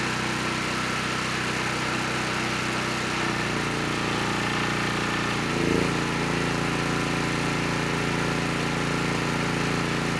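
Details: Honeywell HW5500 5500-watt generator, 337cc engine, after new Hipa carburetor, replacement tank and old gaskets (insulator issue found), during load testing; even drone with brief load change midway, settling back and holding speed — normal running.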